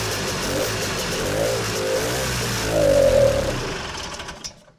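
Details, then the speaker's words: Vintage snowmobile, stored since last spring, with screw-on carb filters and primer bottle: spins over in uneven bursts that briefly pick up and die without catching. Carb inlet needle stuck again as last year. Fuel starvation. "Well, needle stuck, and I expected that because last year when I got this out and running, the needle was also stuck."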